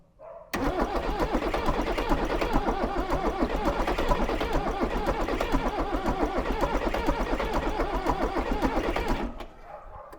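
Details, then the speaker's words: Range Rover Classic with rebuilt 2.5L VM diesel, unused since 2016, heater plugs applied: starter churns steadily about nine seconds, roughly four turns a second, with uneven catches that nearly fire but no start; fumes coming out. "nearly he's firing put the heater plugs on again here we go okay well nearly there"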